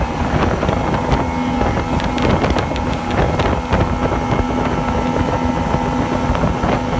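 Outboard two-stroke on the water with uneven pops and a wavering, hunting engine note under wind noise; it is misfiring and surging.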